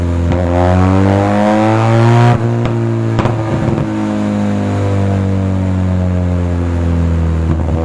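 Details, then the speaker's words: Benelli TRK 502 with stock muffler silencer removed, shown before and after AFR remap: rising and falling revs with sharp exhaust pops and cracks on throttle; exhaust backfire popping, reduced by remap. "Okay so problem ni sir meron din siyang backfire backfire yung k kasi wala na nga yung silencer natin stock muffler kaya may putok na pero kaya nating bawasan yan"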